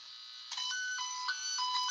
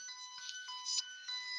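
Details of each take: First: Circuit tracer on household wiring with its leads connected backwards: faint, grainy warbling beep stepping between two pitches, barely audible, thin and rough rather than clean; weak grainy tone from reversed tracer leads. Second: Circuit tracer at an outlet: strong, pure high tone rings clear, overtones stepping in and out, showing a good connection to this outlet; clear circuit tracer tone.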